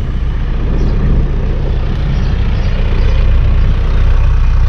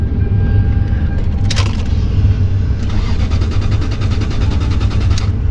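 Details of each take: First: 1991 Toyota LiteAce 4x4 Limited turbo diesel, right-hand drive: low, even diesel clatter holding a steady beat with no stumbles or surges and no black smoke; idles smoothly and healthily. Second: 2001 Lexus LS430, about 200k miles, on a booster pack: repeated long bursts of even starter cranking that never fire; no start, no fuel pump heard, judged a non-runner.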